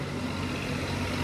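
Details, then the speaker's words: Maruti DDiS diesel with about 1.5 lakh km: steady even low idle rumble with light clatter, no knocks or misses; engine healthy for its mileage. "दोस्तों ये इसकी आवाज भी थे ऐसी बिल्कुल भी पता नहीं चलता है कि ये गाड़ी 1.5 लाख किमी चल चुकी है। ऐसे ही Maruti को नेशनल इंजन ऑफ ईयर का अवार्ड नहीं मिला है।"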